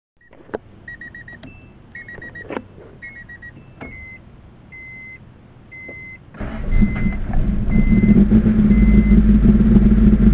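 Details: Acura Integra with a B18 petrol engine that won't start without pressing the gas. Dash chimes, then it catches and settles into an uneven, loping, cammed-sounding idle. The cause is unknown.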